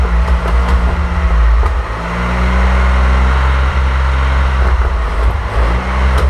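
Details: 1927 Avions Voisin C11 with a 2.3-litre six-cylinder sleeve-valve engine and thermosyphon cooling, on its first start after a rebuild, not run for about 60 years: a deep, smooth rumble that dips and picks up cleanly with light throttle, no misfires. Normal running.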